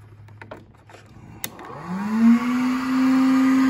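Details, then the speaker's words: Roban Bell 412 oil cooler with Scorpion fans, installed inside the closed fuselage on a 2S 5400 battery at 7.6 V, not fully charged: fans spin up into a loud steady drone with a buzzy harmonic ring; resonance inside the fuselage shell. "so as you can tell they're relatively loud they do move a lot of air um but it kind of got a weird this weird um kind of a harmonic and then there's a little bit of resonance inside the shell the fuselage and stuff like that"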